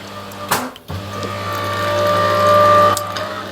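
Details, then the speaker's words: LG fridge freezer ice maker water pump running after the emptied water tank is refilled and reinserted: clunk then low steady electric hum with faint rising whirr for a couple of seconds; pump works normally, though this tends to cause an airlock. "Right, that was the pump running, but the trouble is that also tends to cause an airlock, so we need to get rid of the airlock."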